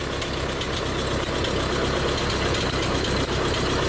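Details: 1952 Ford 8N tractor, working condition, idling: steady, even soft regular chuff with no knocks or misses; engine sounds healthy, with brakes, PTO and hydraulics reported working.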